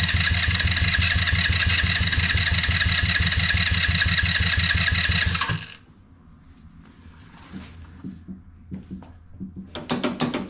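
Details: HammerHead 150 off-road go-kart, after emptying the fuel tank and installing new parts: fast even cranking for about five seconds, then quiet stumble and brief catch; hard starting.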